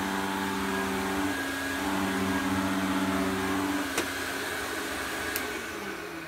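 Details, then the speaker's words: Electrolux 502 vacuum cleaner run with a Turbo Power hose fitted: steady motor whine with a rough, uneven drone fading as the motor slows; owner suspects the motor bearings, not confirmed. "hmm I think that sounds more like the bearings on the motor sounds a bit crazy"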